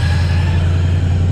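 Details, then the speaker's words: Mustang with a supercharged LSA V8 at warm idle after running a while, coolant at 191°F, timing good, out in the sun for the first time in 8 months; oil gauge misreads. A deep, even rumble with no misses, ticks or knocks; smooth idle. "Coolant temp 191, has been idling for a little while. Timing looks good."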